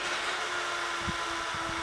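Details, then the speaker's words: 92 mm twin-fan PCI fan tray, high-flow unit, lifted off the table: steady airy whoosh with faint hum slowly swelling and fading, a wow from the fans' slight speed difference; normal. "There's a little bit of wow that you get from the slight difference in fan speed."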